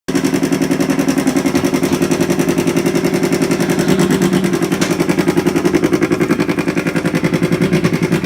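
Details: About 8-month-old toilet, loud rapid knocking rattle around three to four hits a second as the tank nears full; started two weeks ago.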